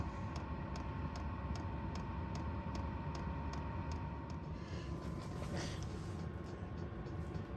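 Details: 8 kW diesel heater warming an enclosed canopy tent at about 35°F, after cold start (smoky until ignited): steady low burner roar, fan whoosh, crisp pump tick about three times a second; heater lit and running fine.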